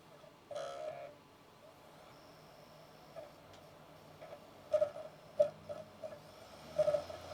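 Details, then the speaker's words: Jasper-revision Xbox 360 DVD drive after repair, reading a Guitar Hero disc with fans not yet refitted: soft seek clicks and a faint spinning whine in short bursts; drive spins up and reads normally. "disc hey all right it seems to be working I won't run that for too long because we don't have the fans and everything else in the right places so I don't want this thing to overheat but uh the drive appears to work"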